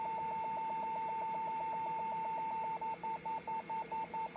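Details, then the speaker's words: Compaq LTE Elite 4/50E laptop, motherboard under Compaq diagnostics: steady high beep breaking into regular pulses about two per second; owner suspects a stuck keyboard key, unconfirmed. "That might be just a stuck keyboard."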